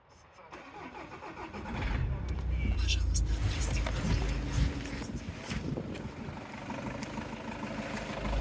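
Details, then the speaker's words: Engine previously knocking, now repaired; cold start, starter turns over, catches and settles into an even, smooth idle with no knocking; normal cold start. "Никакого стука. Ничего нет. Лепота. Приятный, правильный звук работы мотора. А холодный такой звук."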